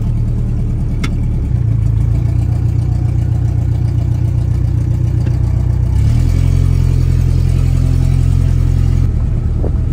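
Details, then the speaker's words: 1988 Winnebago LeSharo parked all winter and running poorly, now driven with no exhaust/muffler: a loud, deep open-pipe drone holds steady, then climbs with revs, sounding like an aircraft. "sounds pretty good actually sounds like an aircraft or something"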